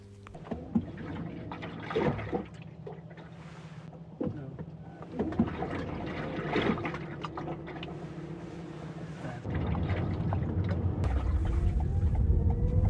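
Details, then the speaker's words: 2019 Toyota Corolla Estate, water trapped inside the near-side door: irregular sloshing splashes with each brake and pull-off over quiet road noise. The fix is removing the black plastic drain plug in the door. "The issue is the water trapped inside the door, and when I'm driving this car, start driving, or when I brake the car, the water was moving and it was a splashing sound inside it, and which I have recorded, and you can hear it"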